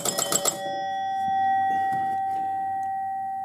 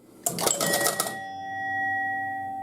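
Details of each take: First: 1971 Gottlieb Home Run pinball machine: bell chimes ring extra scores on a home run (sounded like 2 runs), a quick cluster of strikes then one fading chime; still being worked on. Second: 1971 Gottlieb Home Run pinball machine: a double with a runner on first gives about a second of quick relay clatter, then a clean chime that holds and fades; the runner goes to third and the batter to second, so scoring works correctly.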